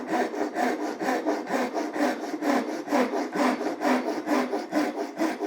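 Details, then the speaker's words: Japanese ryoba pull saw on a rip cut with the ripping teeth, two-handed, sawing slightly uphill: even rasping strokes, about two a second, smooth without catching, since the timber wants to be cut in the up direction. "You can hear that the timber wants to be cut in this up direction for a Japanese rip cut."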